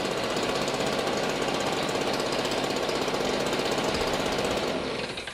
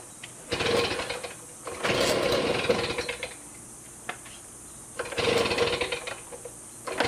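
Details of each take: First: 10-year-old STIHL BG55 two-stroke blower, never maintained, past RPM issues, cracked gas bulb, baseline before new plug, air filter, gas bulb and spark arrestor cleaning: steady high roar with faint uneven flutter; acceptable but slightly rough running. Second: STIHL BG55 two-stroke blower after a new spark plug, air filter, fuel filter and spark arrestor, on fresh mixed gas: it blips up twice, then holds a steady, even high-rev drone, running smoother.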